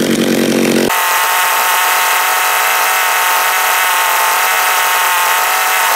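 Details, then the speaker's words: John Deere EV45 chainsaw after carburetor rebuild with new diaphragm, high-speed needle being adjusted: strong steady high-pitched scream at full throttle, no bogging or four-stroking; normal high-speed running. "it seems all right there seems pretty happy"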